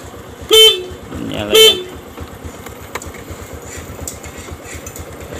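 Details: Honda Supra X 125 motorcycle whose electric starter and neutral light failed, traced to the fuse circuit: two short clear horn toots a second apart, steady bright tone, quiet street noise around; horn working normally.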